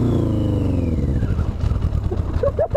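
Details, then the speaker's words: Motorcycle on its first road ride, push-started in second gear with a completely dead battery: the engine revs then sags unevenly, stumbling and breaking up, running really rough and repeatedly dying; cause unknown. "I don't know like you've died like that it sounds like it's about to explode I know so pretty down here I don't know why keeps dying it's running really rough"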